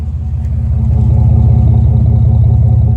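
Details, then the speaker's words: Chevrolet Blazer idling then small-to-moderate revs after a cat-back job with an off-brand Flowmaster Super 10-style muffler and a small aftermarket cat: deep, even burble, no ticking or puffing, former exhaust leak gone. "Sounds really good. I mean, compared to stock, it's obviously going to sound a lot better, but no more exhaust leak."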